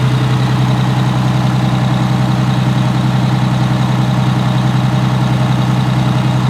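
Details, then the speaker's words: Allison V730 transmission motorhome diesel revved toward 1900–2000 RPM cruise, listened outside at the pump: constant high tone over the rumble, loudest at the power steering pump. "The pump, but yeah, it's the highest squealing right there."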